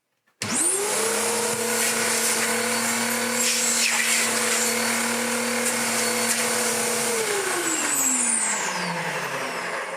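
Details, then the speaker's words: Dirt Devil DD6114 Electrolux Contour clone vacuum after restoration with rubber seals now sealing: motor spins to a steady even whine with rushing airflow, drawing about 1200 W, winding down smoothly; healthy run. "You can hear it already. Yeah, it's pulling-ish 1200 watts out of the wall, but bless it, it's such an inefficient design that by the time it's come all the way through the hose, it's leaked out a fair bit."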